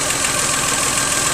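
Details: 1997 Geo Metro, 1.0 L 5-speed, brand-new engine after drivetrain restoration; short stretch of steady, even idle with a light, quick ticking and airy hiss on top, sounding smooth and healthy.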